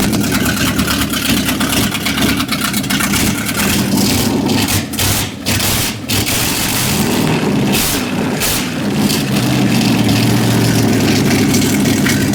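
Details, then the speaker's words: 1955 Chevrolet truck V8, first start after cranking attempts: lumpy, stumbling beat with dropped firing pulses under throttle blips; runs on about six cylinders, misfire suspected on a couple of cylinders, cause unconfirmed. "All right, it runs. runs on about six cylinders."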